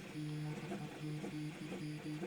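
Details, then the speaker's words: Used Trinus 3D printer printing: stepper motor tones hopping between a few pitches over a faint fan hiss, no rattle, no linear bearing noise; normal printing. "is all you really hear and a little bit of fan you don't hear much much fan but you do hear it a little bit that's why like this is a much more tolerable noise than the MK2 made when I first got it"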